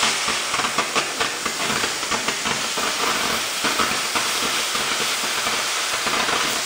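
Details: Oxy-fuel torch cutting thick plate with a quarter-range rated tip: steady roaring hiss with a fine crackle and no popping or sputtering; clean sound coming off the bottom of the cut.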